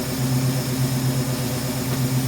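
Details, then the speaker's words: 1971 Ford Mustang Sportsroof (351 per tags), revived after 14 years, no coolant in it: steady low V8 lope with even beat, no ticking or knocking; owner notes a little blow-by but calls it success, normal warm idle. "Got a little blow by. Hey, I'll take that. I call that a success."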